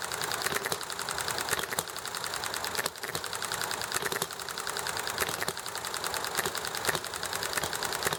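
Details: Enjomor small hit-and-miss engine: fast light ticking with louder firing pops every so often between coasting spells, steady and unforced, over chatting and highway noise; normal hit-and-miss running.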